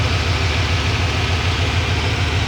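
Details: Just-acquired farm-find Ford F-150 pickup that had been hauling hay, V8 idling on a remanufactured battery, coolant a bit low: deep, even burble with a steady low pulse, no knocks or misses. Normal healthy idle.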